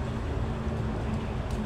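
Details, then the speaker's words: Maruti Suzuki WagonR K-series petrol engine idling with a low lumpy uneven beat; cylinder one dead, not firing; water seen on spark plug, gasket suspected. "ये पहला cylinder काम ही नहीं कर रहा इस बिल्कुल भी देखिए कतय आला हुआ पड़ा है"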